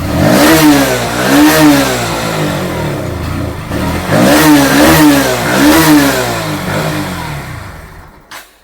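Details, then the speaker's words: Bajaj Pulsar NS160 BS6 that starts only at full throttle, battery fine, no malfunction light: engine blips then sags and cuts out as soon as throttle is released, dying before 4 on the rpm gauge, stalling when throttle released. "நாம் த்ராட்டிலை விட்டவுடன் bike அணைந்துவிடுகிறது. சாவியைத் திருப்பி மீண்டும் இயக்க முயற்சிப்போம். RPM நான்கை எட்டுவதற்கு முன்பே அது அணைந்துவிடுகிறது."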